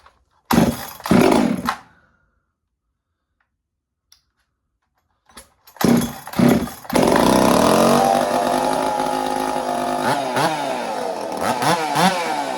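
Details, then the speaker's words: Chainsaw with 372 flywheel and adjusted timing, started using compression release: a few pulls, fires to a calm steady idle, snaps cleanly to full revs twice; sounds healthy, much better than before. "She she sounds pretty healthy now. Sounds a lot better than it did before."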